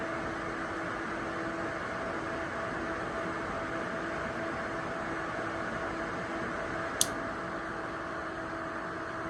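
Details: Two ACMEMATION 120mm 4-pin PWM PC case fans (2700 RPM max) running together: steady, even whoosh of air with a faint constant hum and no ticking or rubbing; normal fan noise.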